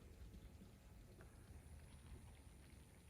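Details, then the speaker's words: Dead ride-on mower battery being forcibly discharged with reversed terminals at about 10-15 amps in a desulfation attempt, no engine running: faint, steady fizzing like light rain; battery cells gassing under forced discharge. "you can definitely hear that fizzing that's got to be doing gotta be doing some good right"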